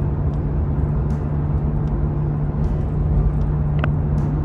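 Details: Lexus HS250h 2.4 hybrid at 250,000 km, driving: steady low drone under tyre and wind noise, louder in right-hand corners and unbearable at 80–90 km/h; worn wheel hub bearing from high mileage, both sides to be replaced.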